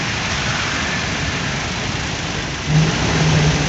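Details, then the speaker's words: Smart car, rear engine: steady rushing roar, then a low hum and drone swell in when the air conditioning is switched on; suspected broken electric radiator fan at the front. "bueno buscándole la lógica para M es el electroventilador vador que está roto Por qué Porque al prender el aire prende el Electro entonces me parece"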